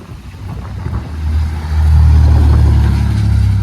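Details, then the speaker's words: 1991 Chevy S10 Blazer, revived after sitting abandoned, muffler fitted, heard from outside as it drives past: smooth deep exhaust swell, no rasp, rattle or leak puffing; sounds pretty decent; owner notes it smokes at top of rev range; normal exhaust note. "It actually sounds pretty good for what it is, man. It sounds pretty decent, actually. Doesn't sound bad."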